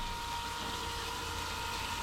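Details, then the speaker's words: Boat fresh-water and sea-water pressure pumps running during plumbing tests at sink, shower, basin and WC: smooth, quiet purr with steady high tone, no surging or knocking, quieter than expected; normal, healthy pump running. "les pompes sont pas très très voyantes j'entendais plus fort que ça quoi je m'attendais à un truc qui gueule un peu mais ça ronronne on entend la pompe mais c'est pas c'est pas méchant quoi"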